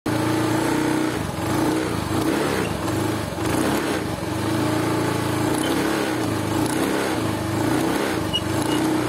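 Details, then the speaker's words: Honda Beat FI scooter, ticking under throttle while riding at about 30 km/h, not at takeoff, under load; irregular light clicking and rattle ('krik krik kretek'); rear pulley side. "ada keluhan bunyi di syariat CVT ketika digas bukan pada awalan tapi harus jalan ketika kecepatan 30 itu dia bunyi krik krik krik krik Kretek"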